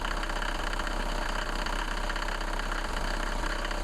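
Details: Mercedes-Benz W124 after rubbing a candle on the squeaky drive (fan) belt while running: smooth, even idle with a low steady rumble and no squeal or chirp, so the belt now runs quietly.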